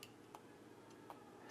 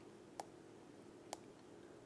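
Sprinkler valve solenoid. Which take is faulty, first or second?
second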